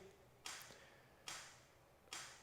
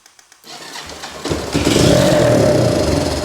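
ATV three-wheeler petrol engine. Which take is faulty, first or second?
first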